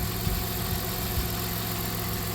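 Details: 1997 Dodge Caravan LE after replacing rod and main bearings and correcting idler pulley belt alignment: steady, low engine idle with an even rumble and no belt squeal or chirp. Normal idle.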